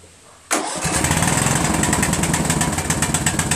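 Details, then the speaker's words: Craftsman LT1000 lawn tractor riding mower engine after valve adjustment, which cured hard starting from too much compression; catches straight away and settles into a steady even putter with no misses, running properly. "there you go fellas it's all it was valves"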